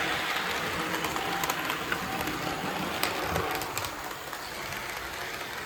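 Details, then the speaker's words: Varney 2-8-0 Canadian Pacific Consolidation model locomotive, which previously hummed but would not move, running in on track after repair: a light, steady motor whir with faint ticking that grows quieter, so it runs smoothly. "seems to depend what's what part of the track it's on makes different noises but it's smooth [Music] enough"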